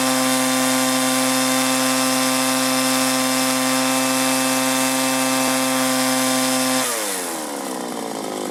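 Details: 1983 Echo PB400E two-cycle blower, warmed up and throttled up after a new fuel line and fuel filter, exhaust-port carbon cleaning and air filter cleaning: steady, even full-throttle scream, no surging or bogging, then a smooth wind-down; normal running.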